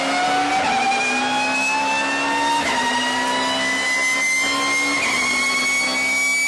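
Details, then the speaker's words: Loud clear whistling whine climbing in pitch through each gear as a car with all straight-cut gears pulls, contrasted with quiet helical gears; normal straight-cut gear whine. "the sound you're hearing is the whine of straight gears meshing while all the other gears in a typical car first second third all the way 256 are helical II connected them pretty much silent"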